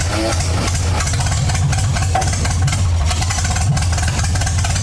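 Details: MGA 1600 roadster four-cylinder during restoration, run on choke with little fuel while testing the cooling system: steady low idle, firing evenly with no misses, knocks or rattles; system holds pressure, not charging, normal idle.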